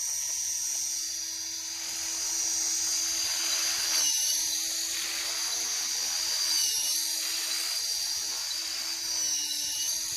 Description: got a very annoying squeaky noise when blipping the throttle